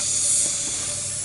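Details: 2001 Honda Recon 250 ATV with no compression, piston at top dead centre, air fed through spark plug hole with valves closed: steady high hiss of leak-down; found rust-pitted bore and completely worn, seized piston rings despite new gaskets.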